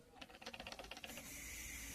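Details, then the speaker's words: Hyundai Creta or HB20 TGDI: quiet engine bay with a quick, light plastic buzz-rattle; loose intercooler deflector vibrating, fixed by loosening two bolts and adding anti-noise foam tape at its mounts. "Quando você ouvir um barulho de algo vibrando, parecendo um plástico na região do motor, na Hyundai Creta, ou até mesmo no HB20, ambos TGDI, é isso aqui, ó, o defletor do intercooler."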